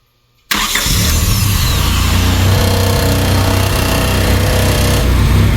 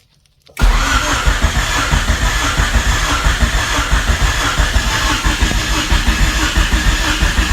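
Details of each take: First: 1999 Honda Civic EK hatchback revived after sitting for years, running on a turbo-tune ECU; cranks briefly, catches at once, settles into smooth, quiet, even idle with no knocks or misses. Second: 1999 Honda Civic EK hatchback revived after sitting for years, first start attempt; starter and relay work, fuel pump and ECU on; cranks steadily several seconds but never catches; owner suspects firing order, swapped injectors or no spark.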